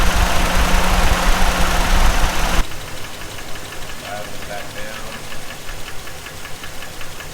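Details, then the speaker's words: 2016 GMC Sierra 2500 6.0 L with 200,000 miles, first start after repair work: a loud idle with a steady knock about three per second that then quiets; oil pressure 35, and the knock persists, apparently not fixed. "down hope I can hear that knock coming back and our oil pressure is at 35 well maybe we didn't fix it"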